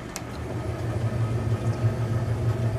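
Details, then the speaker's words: 1931 Frigidaire antique refrigerator compressor running after line flushing, leak test and compressor install; steady low unobtrusive hum, no knocking, refrigerating with frosty evaporator; float still needs adjusting downward; normal compressor running. "I'm delighted to hear it run and see it run. It's very unobtrusive with the noise."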